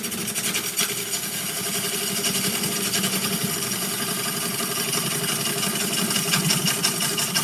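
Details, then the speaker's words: Lathe turning a walnut bowl from unprocessed wood: rhythmic knocking about three times per second through the cutting noise, the gouge catching on a crack in the bowl wall each turn. "sounds like I found another crack in there. Let's see. Did I find another crack? No, just, well, yeah, sort of right there. That's probably what I was hitting. You can almost hear it as you're turning."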